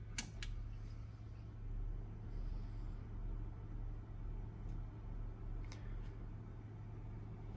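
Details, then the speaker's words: Tektronix TM5006 power frame after a low-noise modification, fitted with a Noctua NF-S12A FLX 12V fan powered by a 12V 1A LED driver. A low steady hum and faint airy rush; the fan is barely audible, quieter than the scope and signal generator. Normal fan operation. "overall the fan is barely audible it's actually quieter than probably the scope in this signal gen so pretty happy with how that turned out"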